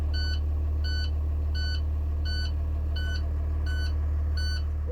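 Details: 2020 International truck with Cummins diesel, after reinstalling cleaned SCR, DOC and DPF filter: steady high beep about three times a second over low idle, DPF warning buzzer calling for a regen.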